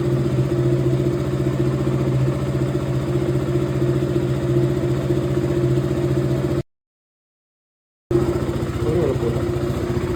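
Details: KTM Duke 200 BS4 cold morning start after 40+ days unused: steady, even single-cylinder idle with regular firing pulses and no knocks or rattles; starts and runs healthy after storage.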